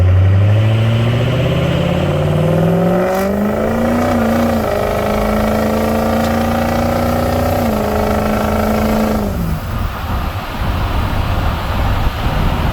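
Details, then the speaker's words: Warmed-up Ford 6.0 Powerstroke diesel with the smoke switch flipped off, holding the VGT turbo vanes closed; this throws a check engine light. A whistle-like spool rises and holds over a deep rumble, then drops as revs fall, like spooling a massive turbo. Vanes held closed, heavy spool. "Okay, you hear the difference? This is how much more it smokes. It's like spooling a massive turbo."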